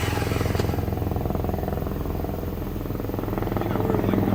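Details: 1997 Jeep Wrangler 2.5L, rebuilt engine under 2k miles, new computer, plugs, wires, distributor, crank sensor, battery: starter cranks steadily several seconds without catching; long crank, hard start, runs fine once started; owner suspects timing.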